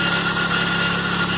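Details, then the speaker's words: Auction car with a drive-by-wire throttle, idling. A faint constant whine rides over an even idle; it is identified as the power steering pump, and the steering wheel is hard and jerky when turned. "sure that's power steering pump. I ain't even got to turn the wheel. I just know because I've done dealt with it so many times."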